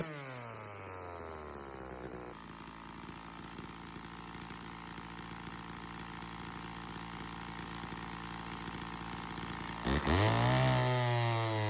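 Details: Chainsaw (model 113), on the bench after reseating the air filter, which had let sawdust in and caused hard starting and lost RPM in the cut: even, steady two-stroke drone, no surging or dying, then revs up cleanly and strongly; healthy.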